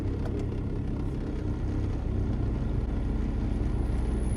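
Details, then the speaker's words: 2011 Toyota Sienna with AC blower running, rumble continues at higher fan speed: steady low rumble with uneven wobble, blower sometimes shuts off but still blows cold; out-of-balance blower motor under dash, fixed by blower motor replacement. "What we're going to do is if we turn on our AC here on the front, you can hear that rumbling noise start up. If we do it higher, it's going to continue."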